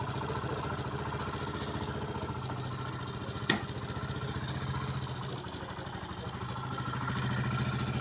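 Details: Small single-cylinder motorcycle engine at idle: steady, slightly uneven ticking clatter about three or four beats a second; abnormal engine noise, cause unclear.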